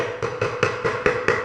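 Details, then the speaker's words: Floor ceramic tile tapped: six hollow, woody knocks about a quarter second apart; the drummy note means a void underneath, caused by too little or uneven cement, or the tile being stepped on right after laying. "Kenapa bunyi seperti ini? Pemberian semen di bawahnya kurang rata ataupun kurang banyak."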